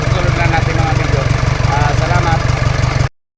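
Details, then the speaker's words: Isuzu 4HF1 diesel restarted after refitting the injection pump shut-off valve, which had kept it from starting: steady, even diesel chatter at a fast regular beat, no misses; engine idles cleanly. "Mga bay umaandar na siya."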